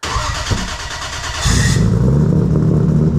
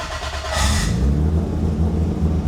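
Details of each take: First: Heavily modified 1000+ hp MK4 Toyota Supra drag car (big turbo, 4-inch exhaust, ProEFI standalone ECU with base tune, after wiring fixes) cold start: short crank, then steady smooth low-burble idle with no misses once fuel pressure restored; normal start and idle. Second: Fuel pressure at 44 psi; on starting the 1000+ hp MK4 Toyota Supra on ProEFI standalone ECU, engine catches and revs briefly then falters and dies within seconds, as the reversed fuel pump trigger shuts the pump off and pressure drops to 0.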